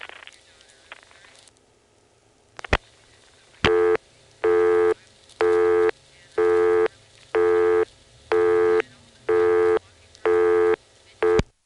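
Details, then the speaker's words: 1970s senderized step-by-step exchange, Dale City, Virginia, call into hospital PBX: even on-off tone bursts about once a second after dialing; busy signal, possibly from slow or invalid dialing. "the busy signal comes on possibly because I'm dialing too slowly or because I dialed something invalid"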